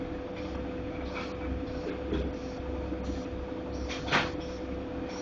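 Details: Godrej fully automatic washing machine with a continuous low rumble and knocks and scrapes about once a second as the drum turns; running rough, cause unknown.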